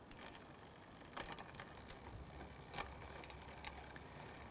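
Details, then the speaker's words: Road bike Shimano Tiagra rear derailleur after barrel-adjuster indexing adjustment: quiet chain whir with short crisp clicks as the chain shifts cleanly through each gear across the range. "now the beauty of index gears means that once you have correctly set this for one gear it should work throughout the range"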